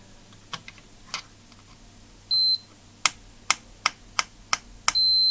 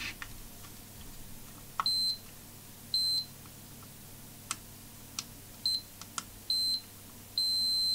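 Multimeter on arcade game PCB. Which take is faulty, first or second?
first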